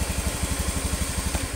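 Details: Honda Beat FI (Beat ESP New) single-cylinder scooter idling after piston replacement; before, stuck oil and second compression rings caused oil loss and harsh noise at the front of the head at 4000–5000 rpm. Now even putt-putt about eleven beats a second, no knock, healthy.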